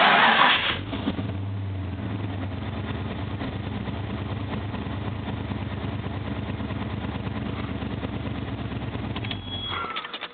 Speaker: It's going to prime the fuel pump for a few seconds. And it's going to start.